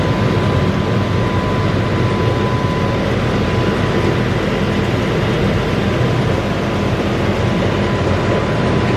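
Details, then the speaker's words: Massey Ferguson 40 combine harvester diesel, sitting three years, after fuel and electrical work: steady, even diesel rumble at constant speed, no knocks or misses, slightly smoky from lack of running; normal running. "so she's running nice you know running off it's on diesel tank and um seems to have sitting down smile the smoky but that will clear it up after a while it's probably just the lack of running and just getting the last year out of it"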